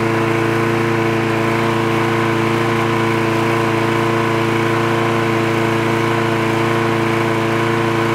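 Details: Trash-picked free Craftsman lawn mower with automatic choke, running after the spark plug wire was reconnected: a steady, even buzz at constant speed with no misses or surging; it runs cleanly and healthy.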